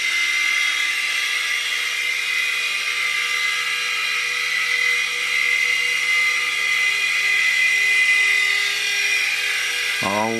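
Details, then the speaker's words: U809 Air Attack toy helicopter flying after a new LiPo battery and super-gluing the slipping pinion gears onto the motor shafts: steady high-pitched motor whine with even gear buzz, no stutter or grinding; running normally. "we've got success h [Music] wow success we've got a working helicopter"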